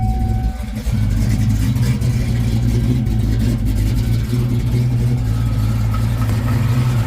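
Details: 1995 Mustang Cobra, 331 stroker, sat for a while, possibly on a Fox Body computer, with good oil pressure and the battery charging: deep, choppy lopey idle, believed from a custom Comp cam. Idle screw may need adjusting.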